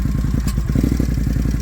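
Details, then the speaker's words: 2021 Can-Am Outlander XMR 570 single-cylinder, before fuel pump replacement: rough, stumbling idle cutting in and out with sharp squirting or hissing bursts inside the airbox; owner suspects the fuel pump, unconfirmed. "so you'll be able to hear it it like goes in and out sounds like a squirt a burst I don't know like you know what I mean so here we go you guys can hear it cutting out somewhere inside the air box"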